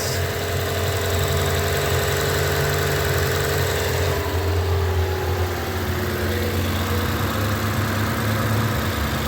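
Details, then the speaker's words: Lexus LS 460 with the 1UR 4.6L V8, after replacing both high-pressure fuel pump gaskets for an oil leak. Starts right up with the expected check engine light from the unplugged fuel pump. Smooth, even idle with no ticking or misses, no leaks. "starts right up got a check engine light as I expected but uh we'll clear those codes check for leaks"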